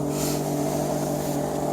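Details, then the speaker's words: 2000 Chevrolet Silverado 1500 Z71, in-tank fuel pump running about three minutes: loud, steady low hum with no surging but weak output, well below 55 psi; failing fuel pump, replaced afterward. "There's the fuel pump. You can really hear it now. It's loud, but it's just not putting out. That's not 55 psi."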